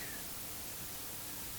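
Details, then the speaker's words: 1950s Healing 400H valve radio full of sand, after shifting valves around, earlier received stations: steady even hiss, no station; owner suspects something shorted in the chassis wiring underneath. "Sounds like something shorted out, doesn't it?"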